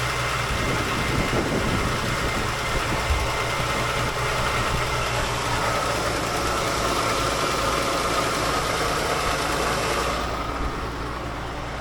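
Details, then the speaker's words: 1951 Chevrolet sedan, 216 straight-six, stored 6 years, idles smoothly and evenly with no misses after fixing backwards battery and coil wiring, a leaky carb, and setting points gap. "runs really smooth like I said it's been in storage for about 6 years"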